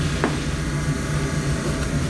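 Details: 1954 Mayflower oil-fired forced hot air furnace, last serviced 2012, oil burner running: steady, even low hum with a soft rush of flame, no knocks or squeals; owner expects motor may seize later; normal operation.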